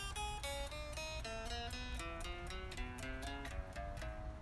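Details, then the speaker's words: 2012 Fender 60s Road Worn Stratocaster after truss rod adjustment and action set to about 0.060: single plucked notes ring clear with clean sustain and no buzz, sounding good down low, mid-neck and all over. "Middle of the neck sounds pretty good. Sounding pretty good all over."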